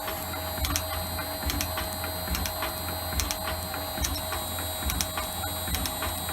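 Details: Shaper refitted with its new replacement motor, running at 50 Hz, 67 strokes per minute: even ram strokes a little over once a second over a quiet motor hum, no knocks or grinding; normal running.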